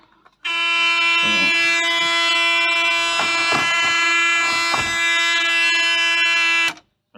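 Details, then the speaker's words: Mazda FC RX7 project car cranking in neutral: a continuous buzzer tone sounds for about six seconds during cranking. It is an unexplained warning beep, cause unknown. "don't know what that one is that's a sounds like a beep that should tell me to stop doing something"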